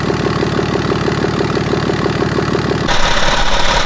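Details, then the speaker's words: 2011 BMW X5 35d E70 with an M57N2 diesel at 130k miles, after lower timing chain repair, idling with the intake manifold off and the EGR disconnected: an even, constant-speed diesel clatter, a bit loud but normal; the engine runs fine. "I did it just to show the owner that it's working as it should be. Yeah, it's a little bit loud, but it's normal without the EGR hooked up."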